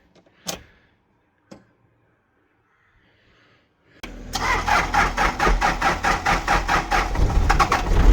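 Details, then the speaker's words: Daihatsu Rocky Fourtrack diesel, barn-stored about 5 years, first cold start after battery fit and preheating twice: a couple of clicks, then it catches at once into a regular, slightly lumpy clatter; normal cold start. "No way. No way. And it's not even smoothie. That started a lot easier than I expected."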